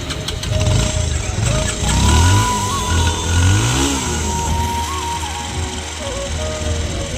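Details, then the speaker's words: Pulsar single-cylinder bike that stalled in 3rd/4th gear when easing off the throttle. After the carburetor was refitted and the fuel line reconnected, it starts without trouble and settles to a steady, even idle with light throttle blips, before the idle rpm is set. "After carpenter fit చేసిన తర్వాత vehicle start అవ్వడం జరిగింది ఎటువంటి ఇబ్బంది లేకుండా"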